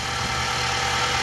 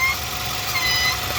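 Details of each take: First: 2019 Nissan NV3500, 5.6L VK56VD direct-injection V8, about 38,000 miles, after a hose fix: a smooth idle with normal fast injector ticking, and the loud hose-area noise is gone. Normal idle. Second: 2019 Nissan NV3500, 5.6L VK56VD V8, about 38,000 miles, idling: loud whistle traced by stethoscope to a hose off the intake manifold that looks split or collapsed; squeezing it stops the sound. Thin high hiss: PCV vacuum leak.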